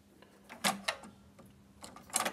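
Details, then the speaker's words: Yamaha K-300 cassette deck after repair of speed drift (power supply board diode D504 previously replaced): crisp solenoid clicks and short whirs as reset, rewind, stop and play engage cleanly, no grinding or slipping; transport working. "Работает. Сброс работает. Перемотка отлично. Стоп. Отлично. Воспроизведение."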